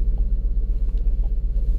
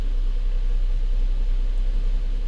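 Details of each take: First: 2007 Lincoln MKZ 3.5L, customer complaint of misfire, engine dies when put in gear: low idle rumble pulses unevenly several times a second with occasional dips; a rough stumbling idle from a misfire, possibly cylinder 2. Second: 2007 Lincoln MKZ 3.5L with a customer misfire complaint, idling during a live-data check with fuel trims under 5% and no check engine light: steady, even low rumble with no stumbles or skipped beats; normal idle on all cylinders.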